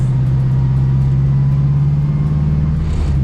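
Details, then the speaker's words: Honda Civic EK with a swapped engine, driving after transmission fluid was added to clear a loud noise. Steady low engine drone with no whine, grind or howl. Gearbox running normally. "Neutral. The sound is gone, guys. The gearbox is fixed."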